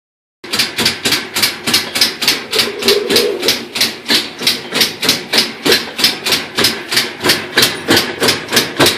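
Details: Normal top-load direct-drive washer, just after replacing a split coupling: loud, sharp rhythmic clicking about 2–3 per second with every agitation, cause not identified; on spin it ramped up slowly and clicks increased proportionally with speed.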